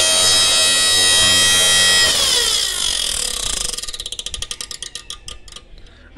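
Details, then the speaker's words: Inverter welding machine running: a steady electrical hum and whine, then a falling tone with rapid flapping ticks that slow as the internal fan winds down; the fan blade strikes a loose wire. "so today we have a inverter welding machine that has a flapping sound we will gonna open this let's see what's inside and what's causing the flapping sound"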